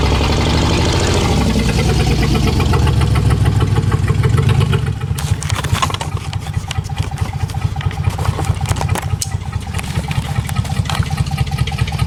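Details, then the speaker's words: Dodge Magnum 3.5L V6 stroker with big cams, ported heads and intake, first start: catches and settles into an uneven, choppy, loping idle; normal for aggressive cams, computer still learning and fuel trims settling. "it definitely sounds like that she's got a big fat nasty camera i mean it does somebody's starting to run better so i'm kind of thinking it's just computers starting to learn these cams"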